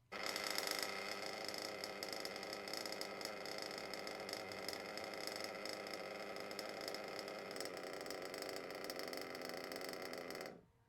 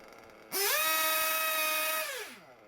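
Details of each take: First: Warmed RC nitro engine (about 100°C) with idle set a tad too low: lean, loping idle with individual ticks audible, then it cuts out abruptly and stalls; low idle can die when braking into corners. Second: Warmed RC nitro engine (about 100°C) after leaning low- and high-speed needles: snaps from quiet idle to high steady scream and drops back smoothly; revs pick up nicely, high-speed needle good, idle good.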